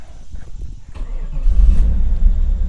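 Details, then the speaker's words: 1994 Camaro Z28 with LT1 V8, cold start after sitting a while: brief crank, fires immediately with no pedal, settling into a steady, deep idle; healthy cold start. "geez no pedal no nothing just fired right up very easy"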